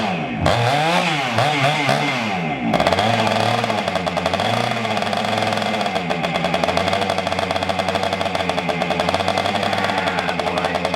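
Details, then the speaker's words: 1976 Honda MR175 Elsinore two-stroke, first start after an engine rebuild, smoking: it revs up and down, then settles into a sharp puffing tick with each firing. A small exhaust leak at the front exhaust joint. "You got an exhaust leak in the front. Oh, yeah, I've kind of figured that. How bad? Just a little bit."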